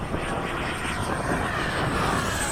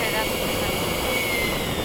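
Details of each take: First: 80mm 12-blade FMS/E-flite ducted fan being balanced at the field: steady high fan whine over a rough, buzzy roar at constant speed; the fan rotor is unbalanced. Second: FMS/E-flite 80mm 12-blade ducted fan being balanced at the flying field, this run being the best-balanced position; smooth, steady high-pitched whine with no wobble or pulsing in level, running evenly and well balanced.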